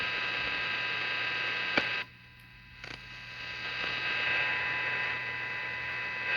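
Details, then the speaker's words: Olympic combo AM/FM tube tuner with silver mica disease arcing in the IF transformers, AM section after FM alignment: only steady mains hum and hiss, no station, brief dips; AM gain lost. "let's see well where did all our am gain go"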